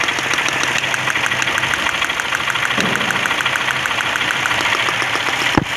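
Idling engine with an uneven, stumbling tick about three times a second over a rough beat; sounds like a misfire, cause unknown.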